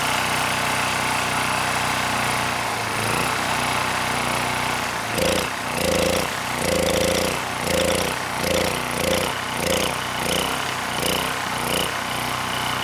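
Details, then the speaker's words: SX Power Series Powermate 3250 W generator (PM0123250), refueled, running without airbox, with a spotless carb. Engine surges, note rising and falling about once a second. Choke cannot be turned off beyond about 10%; a suspected insulator air leak. Engine surging. "So even though the carb is spotless both inside and out, you know, I can't turn that choke off more than about 10%."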